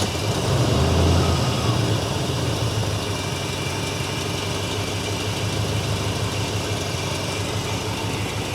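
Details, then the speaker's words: Squarebody Chevy C10, V8 per the heard sound, first start after 21 years in storage: smooth, even low rumble at steady idle with no knocks or misses; sounds like a solid, healthy engine. "No, you got to say it sounds like a solid engine."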